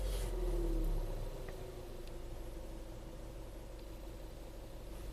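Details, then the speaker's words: VW Tiguan turbo GDI after high-pressure fuel pump replacement and a 5-mile highway drive: quiet, smooth idle with a steady low hum, no missing or ticking, no DTCs, normal turbo boost and throttle response. Normal idle. "Alright, so after cruising for about 5 miles on the highway, car seems to run nice and smooth, no DTCs, turbo boost seems normal, throttle response seems okay."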